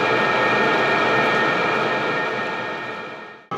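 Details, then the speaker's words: maXpeedingrods 12V 5kW Chinese diesel air heater, warmed up and drawing about 4 amps with hot outlet air, temperature gun on the inlet before it is set to max; an even, constant fan and burner roar with no popping or surging. Normal running. "as the unit starts to ramp up because i've given it a higher radiance max output it is picking up noise but it's not too bad"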